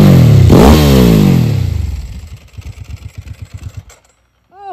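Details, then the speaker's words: Ducati 999S motorcycle, formerly owned by 44Teeth, revived and out on a road test: sharp rev climbs cleanly and falls back to an even, regular idle thump with no knocks or misses; healthy, crisp-running twin. "do a beautiful huh [Music] I don't think the bike ever ran that good when 44 tth had it she absolute sweetheart"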